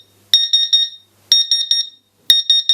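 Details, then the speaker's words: CW-3000 laser cutter water chiller, drained and plugged in: groups of three sharp high beeps about a second apart, pump silent, no display; flow alarm, owner suspects the small internal power supply has failed. "pump's not running yeah so it's partially working okay now we can find out what's gone wrong my feeling is i'm fairly sure that uh the there's a little power supply in here i think that's gone uh toast"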